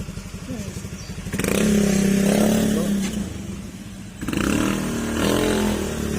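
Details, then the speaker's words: Honda Beat FI scooter after replacing crushed gearing bearing, road test: pulls away and revs smoothly with even hum, no whine or grinding from the final drive; earlier loud gearing noise gone. "an ayan nawala na paingay Nawala na yung ingay"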